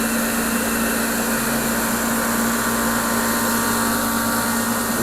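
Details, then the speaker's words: Torpedo heater (Century/ProTemp) running with its cover off, pump pressure reading high against the 3 psi spec: steady motor hum, fan rush and pump tone but no burner roar. It fails to ignite. "it's crazy high but it did not ignite Let's uh see what else could be possibly wrong"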